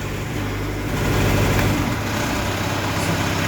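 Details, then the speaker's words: Deutz 2.9 L4 diesel in a Genie S45 boom lift, idling lumpy and uneven with a stumble about every quarter second; fault code reports injector cylinder 3 current below normal or open circuit, misfire from dead injector, before replacement. "but he said injector cylinder number three current below normal or open circuit"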